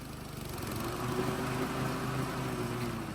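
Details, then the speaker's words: Toro walk-behind mower after loosening the blade drive belt cable two notches to stop premature belt wear: steady small-engine idle that lifts slightly and evenly as the blades take up near the handle, no slipping squeal; engagement is correct. "If you listen real close, it. The blades don't really kick in until you're right on top of my finger. So, that's what you're looking for."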